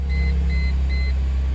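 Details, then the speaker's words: Car after starter replacement: the engine starts and settles into a smooth, even idle hum with a few chime beeps and no grinding or misses. It is idling normally. "oh she sounds pretty perfect"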